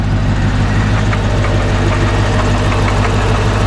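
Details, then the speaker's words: C4 Corvette V8 idling with the hood open after hard driving: a light, fairly steady knock about three times a second over the exhaust note. It seems to come from inside the engine, not a pulley. Engine knock, cause unconfirmed. "I should say I don't know a lot about the mechanics of cars and how to fix them but that sounds terrible"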